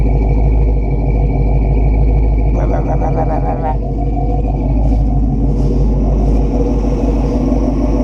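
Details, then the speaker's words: 1969 Buick Special Deluxe after a carburetor clean, warm: steady idle around 700 rpm with an uneven loping cam beat, running cleanly; normal warm idle with lumpy cam. "Okay, we're right at like 700 and it's idling. I got no brakes. Listen to that cam."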